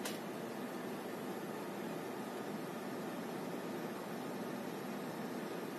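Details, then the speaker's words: PC cooler fan after repair (it had been crackling, scraping and buzzing; oil spread along the shaft stopped the metal scratching), now spinning with a soft, even whoosh, no scraping or rattle; normal fan running. "но ни звука же вообще этот план так красиво крутится вообще класс ну вот как видите все прекрасно работает"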